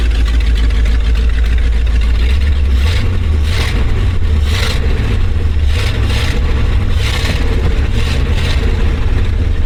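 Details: 1970s Ford dentside ramp truck revived after about 10 years with a Chevy HEI ignition module rigged in: V8 catches and settles into a steady run with a few throttle blips; running properly.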